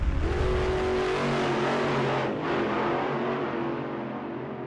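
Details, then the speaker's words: 1941 Plymouth after full fuel system refresh (new hoses and filters, tank flushed, blockage removed, fuel pump previously knocking loudly): pump now quieter, engine runs with a steady even drone, no misses or knocks; running normally. "already in the system and my fuel pump is a lot quieter now the way it should sound"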